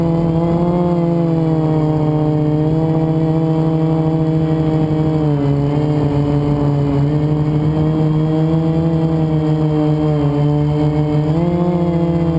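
Loud steady motor whine that dips and rises with throttle, carrying a gritty, rough edge underneath; worn bearing in one motor.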